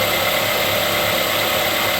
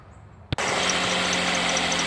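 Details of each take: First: 2008 Ford Escape 2.3L idling after tensioner, idler and serpentine belt replacement: even hum with a quiet accessory drive and no chirp or squeal. The earlier squeak is gone; the worn tensioner is believed to have been the cause. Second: 2008 Ford Escape 2.3L just after a cold start: the engine catches and a steady high squeal from the belt area rides over the idle, quieting once warm. Cause is unconfirmed; the belt, tensioner and idler are being replaced.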